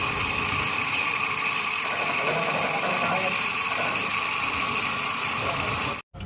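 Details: Suzuki Katana (Jimny) ex-racing engine at first start after full rebuild back to stock, oil pump primed beforehand; previously smoked white. Steady even idle, no knocking, misfire or stumble; settles smoothly, healthy.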